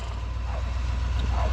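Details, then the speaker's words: Low, labored, slow uneven cranking with no firing; owner says it needs a new starter and new batteries; oil pressure not yet showing. "Definitely gonna need a new starter. That doesn't like life. New starter, new batteries."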